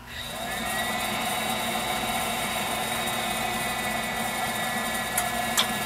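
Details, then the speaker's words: Viessmann Vitodens 200-W WB2B35 condensing boiler, about 2011, about five years in service: fan hum settles into steady even burner roar with faint late clicks; clean ignition and normal running before an intermittent no-code non-heating fault. "burner ignited operating [Applause] normally no problems"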